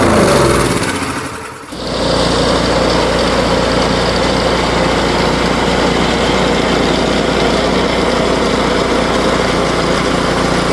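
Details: Powersmart 24-inch snowblower, 212cc engine, customer's no-start, oil checked and fresh gas added: after a brief stumble it settles into a steady, even small-engine run with no misses or surging; normal running.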